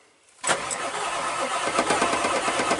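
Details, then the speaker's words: Ford shop truck cranking on old batteries revived with a BatteryMinder, after sitting two weeks: the starter spins the engine briskly with an even rhythm that holds speed, so the batteries are good. "does yeah I'm gonna say those batters are good to go"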